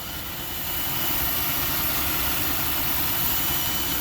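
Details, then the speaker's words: 2014 Jeep Grand Cherokee Pentastar V6 idling, mic under the hood: bright hissy whir with a fast uneven rattle, steady at constant revs; not the suspected Pentastar valvetrain tick but an accessory noise, a worn water pump bearing needing replacement. "Yeah, I hear something, but that's not a ticking. That's not a valve train noise."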